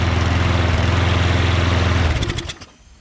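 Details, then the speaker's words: Self-propelled bagger mower with Quantum engine and auto choke: steady slow putter, about three to four beats a second, then dies away; idle rpm too low, adjusted by bending a tab. "rpm seems a little low doesn't it just bend this tab a little bit more that way how about that huh guys still could use a little bit more"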